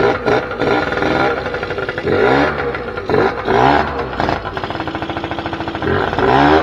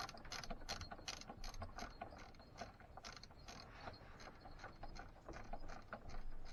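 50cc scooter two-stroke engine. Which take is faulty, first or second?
second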